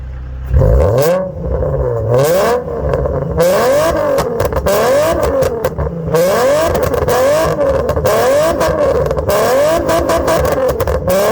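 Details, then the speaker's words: Engine with rod knock revved hard repeatedly outdoors: metallic knock over each rise and fall of revs; rod bearing knock, engine later seized and would not turn over. "I'm gonna stick you out here so you can hear about it I want to see if we get some Flames though so I mean with a rod knock let's see if we can get some [ __ ] Flames"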